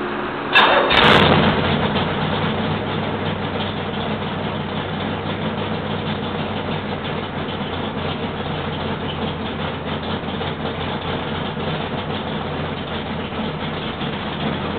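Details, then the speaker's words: Start of a rebuilt L88 427 Chevy V8 from a '66 Chevy II, with hydraulic roller cam, aluminum heads, 9.6:1 compression, 36° timing and 91-octane pump gas. Starter catches fast, then a steady, strong idle with mild cam lope. Healthy. "it sounds really good it sounds pretty much like an old L88 just like it did back in the 70s and uh with reliability of a hydraulic roller cam now no more valve adjustments"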